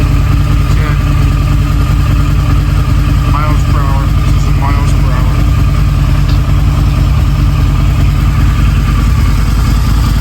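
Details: Harley-Davidson V-Rod V-twin, first start in at least 4 years after restoration: throttle body fitted, fresh 91-octane fuel, new battery, about 16,000 miles; steady even low throb, no misses or knocks, a few chirps; normal idle, early smoke clearing.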